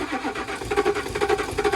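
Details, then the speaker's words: Cheap Range Rover diesel after fuel system primed with a pressure tester, air likely still in the system: starter churns unevenly with no catch or firing, fuel starvation suspected — crank no-start. "Probably a bit of air in it still. Let me give it another squirt. Just give it a prime."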